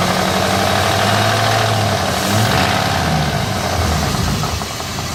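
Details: 1999 Jeep Grand Cherokee WJ 4.7 V8 idling with a regular tapping about four a second, worse with throttle; began after oil ran low, persists after oil change with good steady oil pressure; driver-side valve cover off looks fine, cause unknown.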